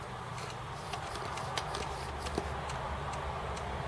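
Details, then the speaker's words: Acorn Archimedes floppy drive after cleaning, run flat the right way up: light, even ticks as the head steps up the tracks, no grinding or hesitation over a low hum; drive sounds healthy and working. "yeah no reeks or anything it's just stepping up the tracks as it should"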